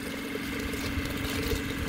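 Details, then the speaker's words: PBL Industries FP12 trailer fuel station pump on a Weekend Warrior LE3305, after gear repair: steady even motor hum once fuel came through, no grinding or catching; pumping normally. "so it slowed down the gas actually came through and uh probably filled up that area where the fuel is supposed to be so boom there you go now it's pumping"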